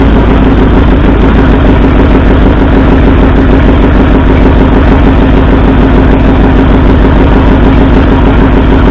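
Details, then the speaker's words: 1964 Ford F100 V8 at idle during a cylinder contribution test, pulling plug wires one at a time: a loud, lumpy, stumbling idle with missing beats; driver-side front and passenger-side second cylinders show no rpm drop and aren't firing. "So it appears we have two cylinders that aren't firing."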